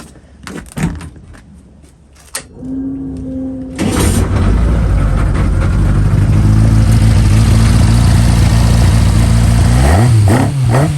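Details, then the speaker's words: 1120cc prototype engine with 35mm big-end pins, light small motorcycle pistons and rods, clutch slipping; after some clatter it fires and runs smoothly and evenly, then snaps up crisply on a quick blip, a healthy, lively free-revving engine. "it's lack of weight you know reciprocating mass or whatever they call it it's made it Mega Lively I listen to this see what you think"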